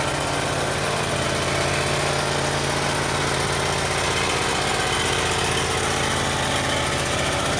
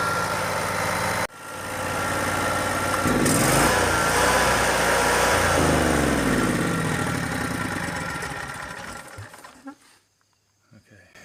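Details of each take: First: Yamaha EF12000DE generator, 22 hp twin, fresh fuel, auto choke: lumpy pulsing drone with uneven beat, seems to run on one cylinder; uneven running, cause suspected. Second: Yamaha EF12000DE / Robin RGV12000 generator started with the starter relay bypassed: steady, even engine drone for several seconds, then winds down smoothly and stops; normal running.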